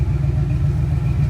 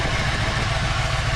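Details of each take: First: Foxbody Mustang that had been popping from a suspected spark plug misfire, after checking connections and lowering the idle: smooth, even low rumble at about 850–900 rpm with no misses; idling much better. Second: Ford Fox body at idle: a loud, constant airy hiss that swells a bit over the idle. Vacuum leak from an uncapped vacuum port, quieted by plugging the port.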